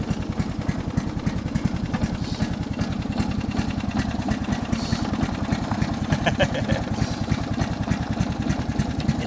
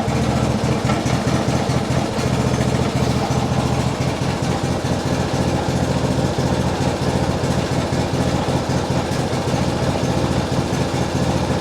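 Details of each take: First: So, let's try second gear now. We are still at idle, so it isn't moving fast, but yeah, that's just how it is. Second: And it doesn't slow. It seems to be running. It's stuttering a little bit.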